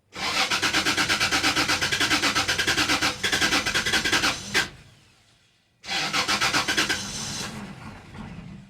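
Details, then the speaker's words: 2004 Toyota Tacoma, relay unplugged: fast even cranking near three beats a second, a brief stumble as it tries to catch, then cranks again without starting; no-start cause unknown. "Until I unplug this relay, the truck stumble, like try to start but don't even start."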